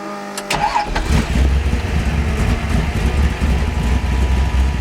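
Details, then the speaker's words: 1979 Ford Pinto street-legal ex-race car, refreshed V8 (new rings, gaskets; stock block) around 450 hp, solid lifters, 160 degrees, 50 psi oil pressure at idle: short crank, catches, settles into choppy loping idle with deep uneven pulses. Normal cammed idle. "it does have a ly idle on it but that's a lot of people like that"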